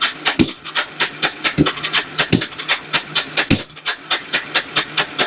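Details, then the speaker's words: Kawasaki Bayou 300 ATV, parked two years, cranking with the choke on after a carburetor cleaning: slow rhythmic cranking with hissy puffs and no firing; the engine is flooded and the spark plug is covered in fuel. "I hope you ain't gonna have no firing spark issues but that's possible with these old Kawasakis okay she is covered in fueled"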